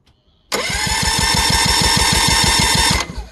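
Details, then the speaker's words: 2013 Yamaha 9.9 four-stroke outboard diagnosed for rough running, plugs out, compression gauge test cranking five to six revolutions per cylinder; starter whirs with about six even pulses per second; compression great on both cylinders. "okay she's got great compression okay just to yep that's perfect"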